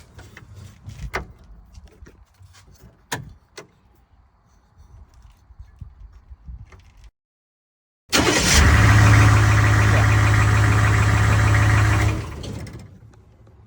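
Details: Humvee diesel after fixing no-start by repairing a burnt terminal on the start relay in the under-dash control box: cranks briefly, catches and settles into steady even low idle; healthy start.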